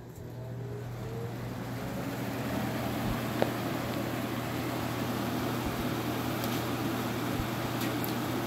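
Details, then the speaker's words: Vintage Sears 42-8120 fan with brown blades on high: loud, even rush of air with a constant low electric hum of electricity going into the motor, no rubbing or ticking; normal high-speed fan noise. "when it's on high it gives a lot of air out but like I said it's really loud and shockingly enough when you do put it on high you do hear that sound of electricity going into the motor on this one"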